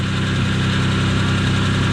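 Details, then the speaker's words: 1992 Dodge Stealth RT (3000GT, 6G72 V6), first run after repaired ECU re-installed, idle with RPMs too high: rough scratchy whirring over engine note; noisy bearing. "so least that bearing is noisy and everything else so so I've never heard a 6072 run before I don't think this is right it being noisy like that"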